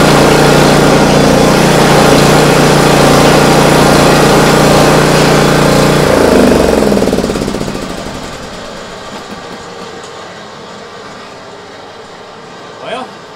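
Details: Swisher 44 rough cut mower engine started after bearing replacement and housing and Kevlar belt install with ignition wires reconnected: runs smooth and even, then winds down cleanly to a stop; no knocking or grinding, healthy.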